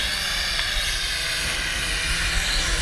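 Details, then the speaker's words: Hongwang HM7016 geared toy quadcopter in flight: loud steady high buzzing whine from motors and props, held even; really noisy but normal for geared drones with this propeller type. "just really noisy but that's not that uncommon on these geared uh drones with those type of uh propellers on it"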